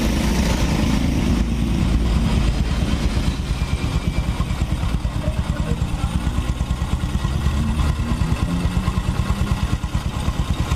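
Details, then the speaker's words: Honda Supra X 125 motorcycle after engine repair, road test: firm, even exhaust pulses rising and falling cleanly with throttle, no knocking or rattle; engine stays smooth. "ini kondisi mesinnya habis kita berserat berserat pun masih tetap halus ya"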